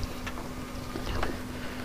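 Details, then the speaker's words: Lexus 1UZ turbo with new twin 044 pumps, surge tank and external regulator, fuel pressure just wound up from 30 to 45 psi: a quiet, steady electric pump hum with a faint flow whoosh. Smooth and healthy. "That's standard fuel pressure. So we'll lock the nut off. And we can hear the fuel going through the lines."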